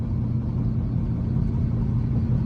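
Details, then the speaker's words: Procharged Dodge Charger R/T, first drive after sitting for years with a new crankshaft position sensor: low uneven rumble under the engine note while driving, no clear knock. It drives badly; the owner suspects bad wheel bearings, and the shocks are worn. "oh that sounds really bad that sounds really [ __ ] bad"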